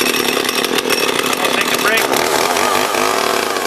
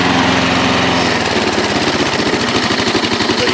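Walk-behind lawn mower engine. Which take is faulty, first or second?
second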